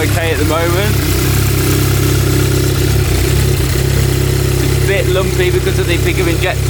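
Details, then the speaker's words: Stage 3 VW Golf R Mk7, first start after months standing, with 980cc multi-port injectors and an RPC intake manifold fitted, not yet mapped: uneven idle chug with a lumpy, hunting beat and no steady rhythm; rough running with the throttle body not attached. "well just realized one thing that's blood maybe white is running a bit rough is the throttle body is not attached so I was wondering where that went"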